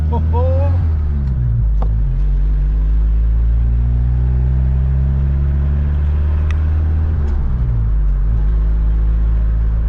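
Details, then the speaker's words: Old Ford Ranger pickup, warm, driving after a tune-up, new fuel tank, fuel pump and fresh gas: deep steady drone pulls evenly under throttle with no misses, no smoke. Before the repair it ran on roughly two cylinders. Normal engine under load. "wow she's got all the tour she's not even struggling the last time i drove this it was on i'm guessing two cylinders this is a night and day difference"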